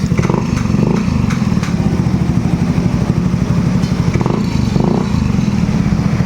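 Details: Motorcycle 125 that stalled at low rpm in traffic, running after fuel pump refitted and fuel filter checked: even, steady low putter with regular firing pulses and no stumbling or dying at low revs.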